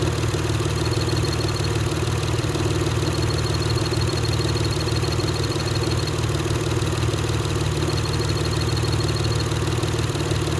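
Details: Acura TL Type-S at idle: faint intermittent high chirp above the engine note; chirping clutch, cause not pinned down.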